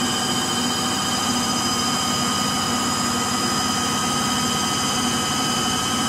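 Steady loud roar with a hard, hissing edge and several high whines that hold during the spin; worn motor bearings.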